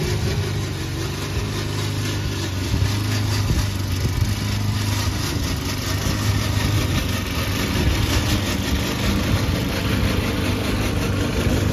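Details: Old Toro Recycler mower cutting Kentucky bluegrass, binaural recording, before fix: constant low hum under a busy, uneven rattle from the drive system, not the engine; the noise was later solved with WD40.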